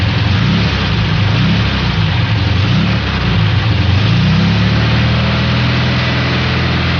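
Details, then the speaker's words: Volkswagen air-cooled engine accelerating until loaded, with a deep rod knock that flutters in and out. "Notice how the rod knock noise flutters in and out as you're accelerating loaded. I mean, accelerating the engine until it's loaded. It's a very easy sound to determine if you know exactly what you're listening for."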